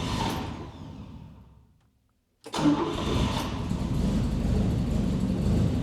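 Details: Volvo 164 barn find stored since the 1990s, first start after replacing the broken starter-to-coil 12 V jump wire: cranks, dies briefly, then catches into an uneven low idle; runs but rough, needs more work.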